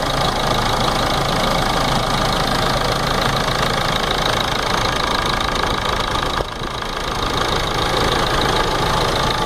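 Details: Ford Ranger 3.0 NGD diesel at idle: steady knock at nearly four per second over the diesel clatter, coming from the timing case.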